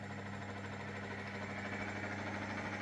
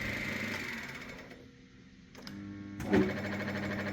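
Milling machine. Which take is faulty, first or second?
second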